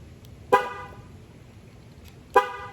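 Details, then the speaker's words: Jeep Gladiator key fob that seemed dead, testing lock; two short sharp horn chirps about two seconds apart confirming lock, remote working; owner later suspects the fob battery. "well i thought there was a light on the front of the fob apparently not that or i'm just not seeing it in the bright light out here as you can hear it's working now"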